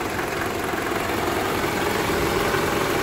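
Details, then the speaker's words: 2012 Toyota Camry 2.5 (2AR-FE), idling stationary in drive with brake applied and AC on, rattle varies with engine heat: dry, uneven rattle over the idle hum, located by stethoscope to the balance shaft; worn balance shaft. "when the RPM gets low and it's under a load then you start hearing the hearing the rattle depending on how hot the engine is and if the if there's a load like the AC's being on"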